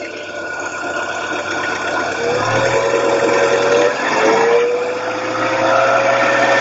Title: Стук гидрокомпенсаторов в ГБЦ